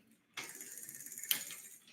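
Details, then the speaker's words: Vintage Schwinn three-speed hub shifted through first, second and third gears, coasting between shifts: fast, even freewheel ticking, then crisp engagement clicks, which is normal internal gear hub ratchet sound. "There's first. Brakes work. We're going to pop it to second now. Coast. Second gear. Coast. Pop it in. Light pedal. Third gear."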